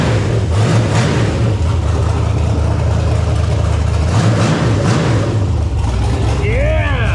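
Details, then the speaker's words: Carbureted V8 on a run stand, running after the problem was traced to too much carburetor (a jetted 670): deep steady rumble at an even idle, 50 psi oil pressure, no stumbling or dying; running properly. "okay so now that we finally got it going apparently we had too much carburetor"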